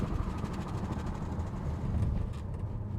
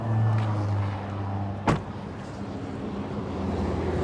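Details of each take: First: Wrecked Audi RS7 mid-rebuild on a road test at about 45-50 mph, window closed: quiet cruise with soft road and engine hum, no knocks, whines or clunks; runs clean with no overheating. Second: Audi RS7 rebuild driven to the paint shop: road and engine rumble with irregular rough scraping underneath; already-damaged bottom engine shield ripped loose, dangling and dragging on the road; no overheating.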